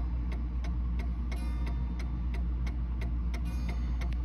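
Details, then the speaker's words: Mantel clock after bending the crutch wire to adjust beat: crisp, evenly spaced ticks about three a second; tick and tock are balanced, so the clock is in beat. "see how it's nice an even sound beat and then you look at here and it should go down on this escape wheel tooth and slide off the same amount as on this one"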